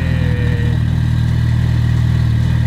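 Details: Mitsubishi Evo in midwinter, started after a jump-start: a steady, even low rumble at idle with no misses, knocks or hunting; the engine runs smoothly.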